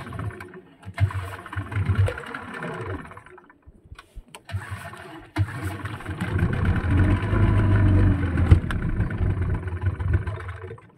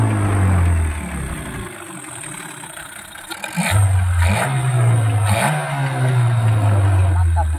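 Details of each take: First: Yamaha 15 hp outboard before repair: spluttering start, runs only at high rpm and dies when throttle is eased or forward gear is engaged; stalling at low rpm from leaking reed valve and clogged carburetor jet. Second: Yamaha 15 hp outboard after fixing leaking reed valve and clogged carburetor, shifted into forward gear with throttle released: low steady burble, no longer stalls. Normal idle in gear.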